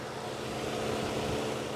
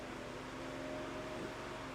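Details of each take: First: 2004 Mazda Tribute, 2.3 L, after repair of an erratic cooling fan, ignition on and air conditioning switched off: steady whooshing hum with a faint constant tone, duty cycle audibly stepping down, no surging or rattle. Normal cooling fan operation. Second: 2004 Mazda Tribute 2.3 L, engine warming with A/C on: cooling fan hum drops out while scan tool commands it on, so fan cuts in and out; most likely a fan module fault, not confirmed.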